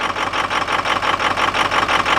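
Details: Ford Excursion engine after waiting on a replacement part, idling rough with an uneven pulsing beat, about seven surges a second, not sounding like a misfire, then stalling as it has been doing.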